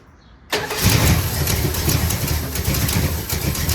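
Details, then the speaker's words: 1974 Dodge Power Wagon W200 V8 that sat 15 years, fired up on old varnished fuel: catches and settles into a low, lumpy, uneven idle, smoking slightly. Vacuum leaks and a need for tuning are suspected; low rough idle. "It's a little low being idle. Sounds like we got some vacuum leaks and could use a little bit of tuning,"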